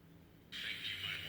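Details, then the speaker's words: 1960s Volt 2 two-transistor radio after repair, turning volume control: output faint, then suddenly jumps much louder partway and keeps climbing; uneven resistive coating on the pot track suspected. "there's a jump right there unless they didn't coat the resistive coating all the way to the end or something that's when you get somewhere louder as you turn it up"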